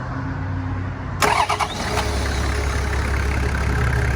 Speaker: just balls just whisper quiet timing belt done approximately 25 000 kilometers ago just delightful